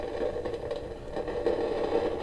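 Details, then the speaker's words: Kaiser tube radiogram after its electrostatic speakers were repaired, with one capacitor lifted out of the circuit. A steady hiss with a midrange hum-like tone carries on unchanged; the noise in the audio circuit persists. "All right, they're off. Let's see if it's still got I can hear it straight away. So, that did not do anything."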